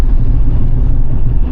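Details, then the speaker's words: 2000 Jeep Cherokee XJ 4.0 pulling away from a stop, worst around 30 mph: a heavy low rumble and shudder with the wheels shaking. Running on the front driveshaft alone removed it, tracing the vibration to the rear driveshaft. "Take off from a stop here. Right here. This is where it's the worst. About 30 miles an hour. You probably see the wheels shaking. Kind of just hear everything rumbling around."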